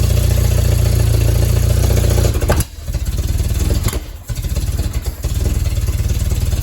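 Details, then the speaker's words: Willys CJ3B with freshly swapped F-head engine, just after fixing an oil leak: runs rough, sags and nearly dies twice before picking up; only kept running by hand choking, carburetor bowl almost empty with scuzzy old fuel, fuel starvation. "I was only able to keep the engine running by hand choking it usually that means there's something up in the carburetor and so I went ahead and pulled the top off and the bowl has almost no gas in it"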